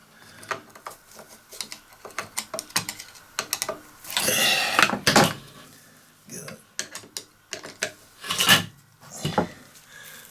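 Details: Stihl 145° pole trimmer head (700mm), reassembled after rebuild with a new cog but before greasing, turned by hand: light clicking gear ticks with no grinding or binding. The mechanism moves freely.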